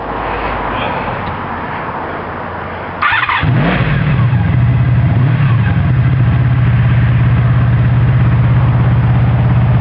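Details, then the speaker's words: 1984 Honda Sabre V45 motorcycle, all stock except the turn signals. The engine cranks and catches at once, then settles into a steady, even idle with a smooth low burble; a healthy, real nice motor. "Real nice motor."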